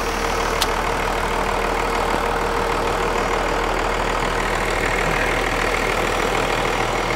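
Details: 1994 Dodge 12-valve Cummins diesel, first start in over 5 years after sitting in a field: settles into a steady, even idle with a dull low clatter and no odd knocks, oil pressure above 40; normal healthy idle.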